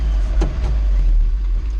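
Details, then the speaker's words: 1991 Nissan Hardbody 2.4 KA24E after new head gasket and timing chain, push-button starter: deep, lumpy idle dipping and surging unevenly, barely hanging on; rough idle, owner later suspects a spun rod bearing. "yet it's definitely no beauty queen guys kind of having to play uh yoyo with this thing today keep it"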